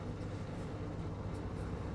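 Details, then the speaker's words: LG 7 kg turbo drum top-loading washing machine after drain motor replacement, which fixed the drum not spinning and loud motor-side noise: steady even low hum, no knocks, scraping or surging; normal spin cycle. "now we can check whether it's working or not now you can see machine start already spin"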